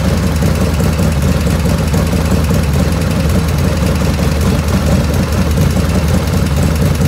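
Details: 1985 FXR V-twin idling after carb float set, 49°F ambient: light, quick ticking that tracks engine speed over a heavy loping idle. It was silent at cold start and grows as the oil warms. Owner blames the S&S hydraulic lifters, rear intake noisiest, not oil restriction.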